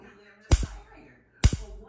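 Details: Liba device: two sharp, loud pops about a second apart, each a quick double snap, over a quiet hum, with a burning smell; the device won't turn on; electrical cause unknown.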